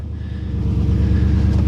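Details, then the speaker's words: 1995 Ford Mustang 5.0 V8, first start after sitting about four months: it catches quickly and settles into a steady, even low rumble that builds slightly. Normal start after storage. "expect that with a good battery she'll start"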